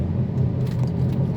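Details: 2008 Volkswagen Passat while driving, loud above about 60 km/h: a steady low droning hum with a faint wavering beat. Worn hub/wheel bearing, which was then replaced.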